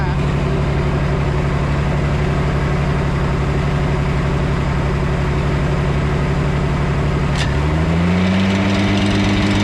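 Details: 1991 Four Winns OMC 4.3L boat engine running on the hose; a steady, even idle whose pitch lifts smoothly as revs rise, with no knocks or misses. Oil pressure is great and the alternator is working.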